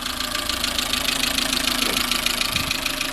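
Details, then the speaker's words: Chevrolet Matiz just back from engine rebuild (valve stem seals, head gasket, skimmed block, service): steady idle with light quick tapping, about three taps a second; source unknown, also throttle overrun issue uninvestigated. "it's probably going to cost me another few £100 to get whatever that throttle overrun is, find out what that tapping noise is"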